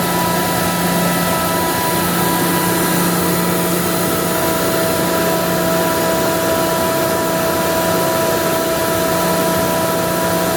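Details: Ingersoll Rand SSR-EP60 60HP air-cooled rotary screw compressor, 98,485 run hours, set to modulate, tank at about 85 PSI, covers off: loud steady even hum with constant tones, no knocks or rattles; running smoothly.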